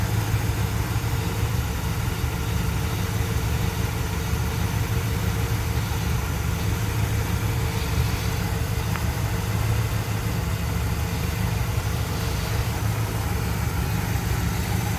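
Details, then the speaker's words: 1973 Dodge D100 V8 after exhaust manifold bolt work and a coolant top-up, started with the engine fairly cool: a deep, even idle rumble with no tick from the exhaust manifold, a healthy idle. "Let's give it a start. See what blows up. You know, the engine was pretty cool. I don't hear a tick."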